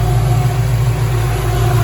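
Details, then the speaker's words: Hot 1979 El Camino SS small-block V8 at idle, thermostat not yet open, battery just over 13 V: low, soft whir from the 16-inch electric radiator fan at about half its proper pitch and speed. The old, tired stock alternator can't supply the fan. "You can hear them. They do move air. Now, when they used to come on properly, when they would be like twice the sound, like twice the pitch, that fan was quite loud, and it really drew a lot of air. So this thing right now, you hear it's kind of pathetic."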